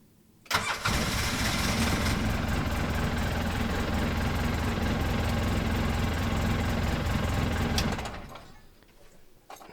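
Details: Polaris Ranger XP that cranked no-start from a loose previous-owner brake pressure sensor bypass jumper, after reseating the terminal: brief crank catches at once into an even, steady idle, then shuts off cleanly; normal start.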